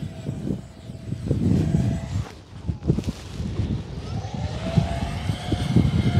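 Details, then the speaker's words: Eachine F-18 50mm EDF jet on a 3S 1300mAh pack, full-speed pass at 100% throttle in strong wind: ducted-fan roar swells and fades with a steady, clean whine and no roughness; normal full-throttle pass. "Yeah, baby, that thing looks great. It flies fast. Okay, there's 100% throttle."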